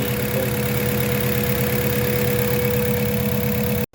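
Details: Mazda 3 gasoline engine: steady low thumping idle that stumbles unevenly. Rough idle; misfire or a tired engine suspected, not confirmed.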